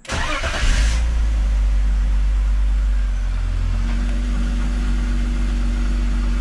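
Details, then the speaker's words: BMW E46 wagon started after exhaust work on seized parts, where a loud exhaust leak was expected. Brief crank, quick catch, then a steady even idle with no hiss or puffing and no obvious exhaust leak: normal start and idle. "it might be leaking but it doesn't sound bad and obnoxious so i guess that's better than i thought"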